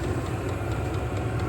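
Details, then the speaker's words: 12V HCalory diesel heater mounted outside a conex cabin, restarted after error code 10, blowing hot air out the muffler: steady low hum of fan and combustion with soft even exhaust rush, no ticking or surging, running normally. "And it's putting out hot air out the muffler here."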